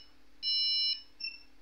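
At power-on there is one long high beep, then a short faint one; the PC is flagging missing or unseated RAM.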